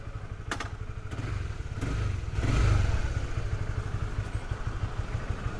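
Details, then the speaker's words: Honda CB150 (K56 engine) at about 1,800 km, after the old cam chain tensioner was replaced with a new one and the oil changed (before: knocking, worst in the morning): steady low idle thump, smooth throttle blip, no top-end rattle. Normal idle. "suaranya tadi tak dengar udah halus sih kita Cobain deh"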